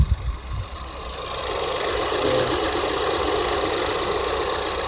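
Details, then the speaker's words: Ford Mondeo at steady idle: light ticking about four per second over the engine hum, the same tick growing louder when revved toward 5,000; cause unclear, owner unsure if it is normal for Ford engines. "But the the noise that sort of gets louder is that ticking noise. It's not like any other noise is coming creeping up. It's the same ticking noise. It just gets louder."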